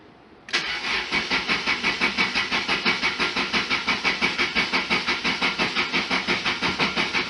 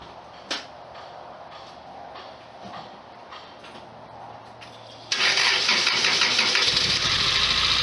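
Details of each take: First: 1991 Lotus Elan in neutral during cooling system repair, after sitting a week: starter churns at an even rhythm, about three beats per second, for seven seconds without catching; owner concludes fuel injectors were lightly stuck. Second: 1991 Lotus Elan, which had sat unused for a week and previously failed to start, powered from another car; faint, even cranking for about five seconds, then it catches abruptly and runs with a loud, busy roar, suspected lightly stuck fuel injectors freeing up.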